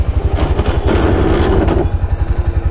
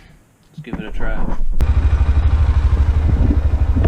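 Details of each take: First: Honda ATV (Rincon 680 or Rancher 350) idling: squeezing the rear brake handle brings a low grinding whine from rear brake pads rubbing over the engine thump; front brakes work fine, rear pads need replacing. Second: Honda ATV (Rincon 680 or Rancher 350) after rear brake caliper service and greasing, test ride: steady low engine drone with an even pulse as it rolls and slows; no squeal or grind from the brakes.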